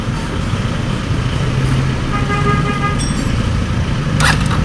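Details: RFI175 motorcycle that lost its electrics after flood submersion, water also in the engine: over a low steady rumble a clear horn tone sounds briefly, then again. With power restored, the horn works.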